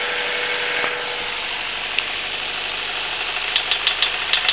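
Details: Honda Civic EM1 Si petrol engine idling with a rough, uneven knock, sharper taps toward the end; rod knock traced to chewed-up big-end bearings, piston possibly tapping the spark plug; engine replaced with a CR-V VTEC.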